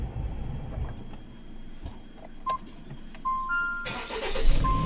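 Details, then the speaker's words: 2018 Jeep Compass 2.4L with start-stop light on, code P00FD (battery B state of charge): during cranking it switches to the small auxiliary battery; a single relay click on the start attempt, then nothing turns over. The weak auxiliary battery drops voltage low enough to disconnect the scan tool. "see that like you hear that click and then it doesn't go anywhere. That's how you know."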